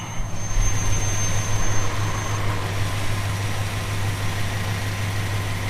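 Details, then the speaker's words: 1970 Plymouth Fury III convertible, 318 V8, 904 automatic, at idle: steady idle with a thin high whistle that cuts out partway. A vacuum leak at an open carburetor port at the rear of the carb; the port pushes air and is to be routed to the air cleaner lid. "so we'll fiddle and fart and see if we can get the tone to change we'll know which hose it is and then uh we will go ahead and replace whatever is leaking get that whistle to stop"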